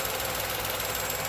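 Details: 2020 Tata Nexon BS6 XZA+ S petrol: soft, even idle hum with a light hiss on top, no irregular knocks or surging; engine idling normally, AC apparently off.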